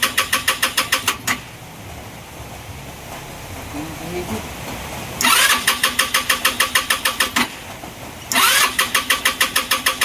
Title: Engine stalling, hard start, no idle....